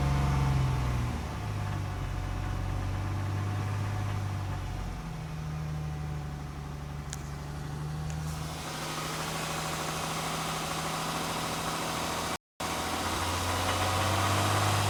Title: 11 Genesis 3.8L Engine knock/rattle